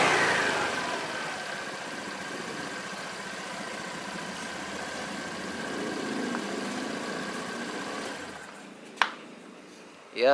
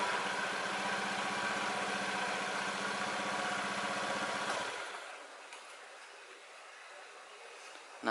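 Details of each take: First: Honda Beat scooter CVT after the dirty, worn rear pulley bearings were replaced: it spins down smoothly with a light steady whir and normal belt noise; the droning hum on throttle release is essentially gone. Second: Honda Beat scooter before repair, revved then throttle released: a droning hum from the CVT that is loudest when easing off the throttle; a worn rear pulley bearing is the usual cause.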